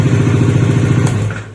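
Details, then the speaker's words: Bajaj Dominar 400 in neutral on electric start: harsh, rapid clattering knock through the crank near the magneto, then it dies away, and the starter sometimes spins free; starter one-way clutch failure. "तो आपने सुनी इतनी खतरनाक आवाज खटखट आ रही है और कभी-कभी तो य स् फ्री हो जा रही है"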